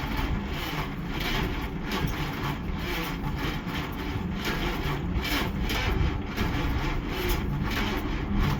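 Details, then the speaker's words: 1955 Dodge Super Red Ram Hemi V8, 70 years old, first start attempt after dark: rough uneven chuffing, then it fires for just a second with a strong smell and falters. The choke may have come off. "It fired up just for a second and it stankked the hot heaven, but it fired."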